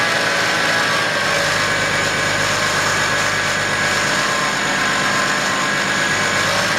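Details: 2011 BMW X5 35d diesel at idle with a bad idler pulley: a steady whirring whine rides over the idle without changing pitch, pointing to a dry bearing in the belt drive.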